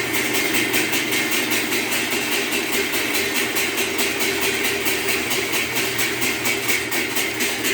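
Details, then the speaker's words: Whirlpool washer in manual test mode, after the actuator shifts from wash to spin: steady spin hum with a sharp metallic tick about twice a second, caused by something stuck in the machine. "it is always playing the thing that I am telling you about it is because it has something stuck at the moment"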